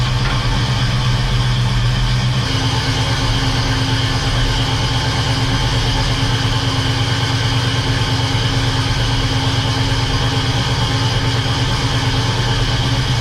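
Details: Rebuilt 350 V8 in a 1969 Oldsmobile Cutlass just after first start, kept above 2,000 rpm for 20-minute new-cam break-in; even, steady raised-speed drone, no knocks, ticks or misses; normal fast idle.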